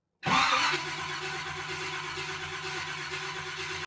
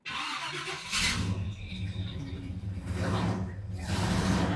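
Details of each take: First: 1970 Chevrolet Camaro SS 350 V8 that had sat too long on old fuel, fuel being pumped up to the carburetor before first start: steady cranking whir with a brief surge, never catches or fires; cranks but no start, cause unconfirmed. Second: 1970 Chevrolet Camaro SS 350 V8 revived after long storage, first start: starter cranks a few seconds, then catches and settles straight into a steady, even idle despite fuel leaking at the carburettor bowl and accelerator pump.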